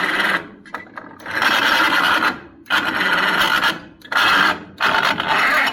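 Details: Pony motor on a 70-year-old 1950s barn-find D6 dozer catches in ragged one-to-two-second bursts, then cuts out repeatedly; owner guesses a stuck carburetor float is starving it of fuel.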